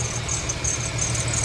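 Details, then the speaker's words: Infiniti FX35 at idle, recorded under the hood: steady high-pitched squeal over a smooth idle; owner first suspected a bearing or tensioner, but WD-40 sprayed on the drive belt silenced it briefly, confirming a worn serpentine belt needing replacement. "Появился вот такой вот характерный звук скрипа. Машина Infinity FX35. Вот думал, что это подшипник либо натяжитель."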